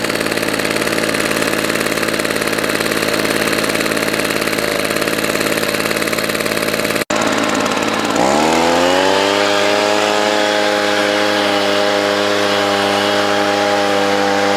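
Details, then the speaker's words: Roadside-found Echo PB-200 leaf blower, after WD-40 on a sticky control: rough choked running, then a clean, steady two-stroke drone that tops out slightly low; owner suspects a dirty air filter and thinks the primer bulb and fuel line should probably be replaced. "works good it sounds like maybe it could rev a little bit higher maybe that air filter is dirty"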